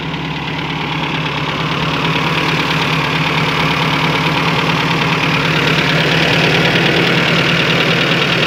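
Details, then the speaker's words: 1992 Toyota Pickup 2.4L 22R-E, 5-speed, crash-damaged yard truck: four-cylinder idles steadily with intake hiss as revs creep; intake boot ripped at throttle body so MAF reads poorly, but it runs; normal running idle. "Got a leak in the boot, so the mass air isn't really picking up that great. The boot's ripped right, get out of here, right at the throttle body. But it sounds good."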